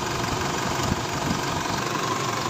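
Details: Isuzu D-Max diesel after the intake fix, with the part attached that previously made the RPM drop and the engine die at idle. Steady, even diesel clatter with no dips or surging; holds idle and no longer stalls.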